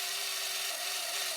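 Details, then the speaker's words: VCR opened up after extracting a scrunched tape, on rewind: a steady high hissing whir with a faint whistle that doesn't sound good, slowing near the end of the tape before the mechanism should clunk to a stop; cause unconfirmed. "doesn't sound good and it slows down when it gets to the end and then it should kachunk kachunk kachunk stop"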